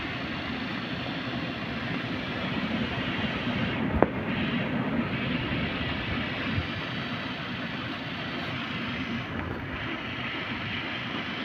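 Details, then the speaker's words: Heater blower motor tested on the fuse panel feed with ignition on, at high speed. Steady, even rushing hum with no scraping, ticking or wobble. Normal blower motor running. "now we get normal sound of working motor on the high speed"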